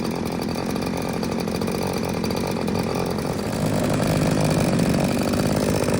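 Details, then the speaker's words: New Little Beaver TCS4600 chainsaw with Oregon bar and chain, just unboxed and fueled, started after purging and choke, left on high idle with choke in to warm up and break in about five minutes; fast, steady buzz rising slightly as it warms, no misses or surging; normal high idle. "Shut that choke off. Give it a pull. let it run on high idle, chokes in. I'm gonna let it warm up for, well, at least a good 5 minutes while I get my gear on."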